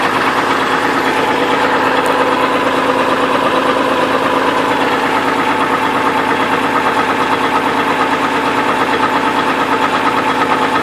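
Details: 2002 Trailblazer idling with a regular knock about three times a second that stays with the belt removed, ruling out the water pump and other belt-driven parts; rod knock.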